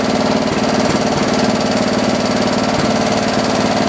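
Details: John Deere 112 round fender tractor with a Kohler K181 single-cylinder, after governor and throttle assembly adjustments: a steady speed with an even beat and no hunting. Running normally; the owner thinks the idle needs lowering a little.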